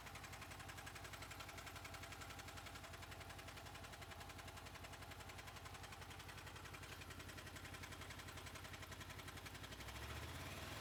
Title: Honda VFR800 VTEC engine clicking sound